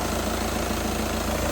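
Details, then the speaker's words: 62-plate VW Beetle diesel, previously crank-no-start (AA blamed EGR valve; mechanic suspected clogged DPF), now fixed: steady even idle clatter with no misfire or stumble, running cleanly. "as you can clearly hear the car is running now"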